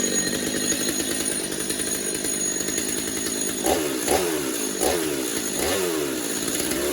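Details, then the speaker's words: Stihl MS250 chainsaw, warmed up, after new clutch drum sprocket and air filter, pretty much bench tuned: crisp two-stroke idle with clean blips up and back, no clutch chatter; runs sound and ready. "And there we go. Another saw down, another saw ready to go. Pretty much bench tuned."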